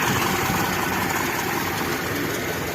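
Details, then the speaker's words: Daihatsu Zebra/Espass idling evenly with no knocks, misses or surges, running without the fuel pump (rotak) relay installed; owner says the pump still works properly. Normal idle. "jadi ini ya retaknya dia masih bekerja dengan semestinya dan Awet awet aja walaupun tidak menggunakan relay"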